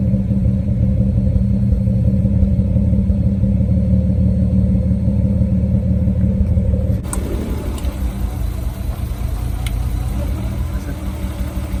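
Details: Nissan Skyline R32 drift car that stopped performing at a drift event; heavy low rumble with an uneven, stumbling beat that breaks up as revs change; engine misfire, cause unclear.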